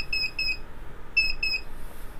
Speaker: вот этот звуковой сигнал помогает определить неисправность при диагностике есть список неисправностей